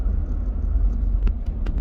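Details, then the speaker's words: Volvo XC90 driving after replacing two engine mounts, previously vibrating through the brake: low, even road rumble with a steady engine note and no thumps or shudder; runs smooth like new. "it feels smooth the key change there as well really smooth oh honestly i am not joking it feels like a brand new car even the sound it sounds amazing"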